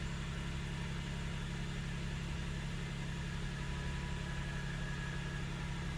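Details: Hyundai/Kia K7 3.0 LPI V6 on the morning first cold start: a deep, uneven misfire shudder with the check engine light flashing, cylinder 6 weakest, fading soon after.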